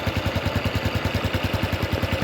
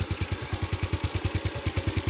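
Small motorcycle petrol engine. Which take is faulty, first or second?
first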